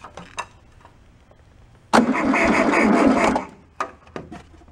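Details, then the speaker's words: Old rusty abandoned VW Beetle air-cooled engine with 12 V wired to coil and starter button: short burst of starter cranking, about four pulses a second, never catches; suspected no spark. "I am pretty confident we don't have spark."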